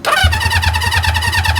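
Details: 1973 Honda CB350 Four bought as a Facebook Marketplace project: quick, even cranking thumps with no firing; spark is found and the plugs may need cleaning.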